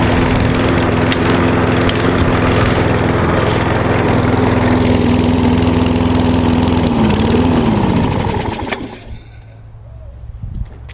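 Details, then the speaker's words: Warm single-cylinder lawn mower after winter storage, restarting on one pull after 10 minutes idling: smooth even drone at steady speed, winding down cleanly at shutoff; runs properly, problem confirmed as fuel. "Alright, one pull and starts right back up, so we know that there's definitely a fuel issue."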